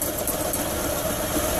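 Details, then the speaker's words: Hyundai Santa Fe 3.5 V6 idling with intermittent knock from the right side, helicopter-like, sounding like an engine bearing; traced to a bad AC compressor pulley assembly wobbling egg-shaped and bouncing as the belt spins it. "AC compressor watch that pulling on the right as the belt spins it get a little egg shape and it bounces all over the place"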